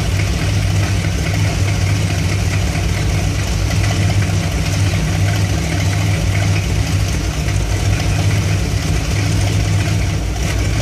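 Warm V8 idles with a deep, uneven lope and a slightly unsteady beat instead of a smooth even run, a rough idle of unknown cause.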